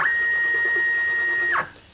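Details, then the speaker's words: Solsylva 13x13 DIY CNC, router off, axes tuned to run quieter, fast axis jog: clean, steady high-pitched stepper whine that cuts off sharply at the stop; smooth, healthy axis motion. "I've tuned up the accesses and they're running a lot quieter now than they were before so i thought i would show what the cnc sounds like without the router running"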